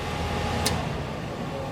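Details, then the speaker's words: 1967 Chevy C10 Stepside barn-find pickup, heater blower motor switched by hand to high: only a soft, steady fan hum with a faint thin tone, far too quiet for high, so the blower runs weak despite last winter's heater-control fix. "so that's the blower motor running that should be high doesn't sound like high but it's in the high"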